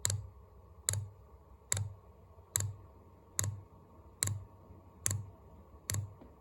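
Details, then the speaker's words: Newly installed diesel air heater priming on a jumper pack: sharp single clicks about 72 a minute over a quiet background as the dosing pump pushes fuel and air through the line; normal priming. "You don't hear the pump clicking though. How do we heat this up? Oh, I hear it. Push fuel through."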